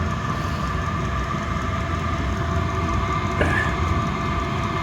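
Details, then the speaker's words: Chinese diesel heater, rated 2 kW, tested after six months unused, exhaust vented through a wall: even, steady roar with a low fan drone, no surging or pulsing; fired up first time and running smoothly. "oh I feel the warmth already yeah so that's kicking in beautifully fired up first time with this"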